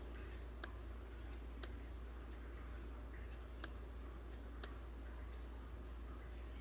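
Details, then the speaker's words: 2014 Hyundai Accent with code P0441 incorrect purge flow: the purge solenoid is commanded on and off with a scan tool. Crisp, evenly spaced ticks about once a second show the valve actuating normally, no fault found. "i'm going to command this solenoid on and off with a scan tool and see if we can hear it feel it click"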